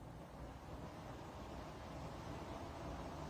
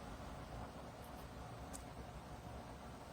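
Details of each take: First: Dreo tower fan (Pro unit) running at level 9: steady airy fan rush with a faint whirring tone near 700 Hz on top; owner hears slight whirring/bearing noise, unsure if unit-specific. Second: Dreo 25dB tower fan at top speed (level 12): steady, even rush of air with a soft motor hum, no ticking, whirring or bearing growl as heard on the Pilot Pro; fan running normally.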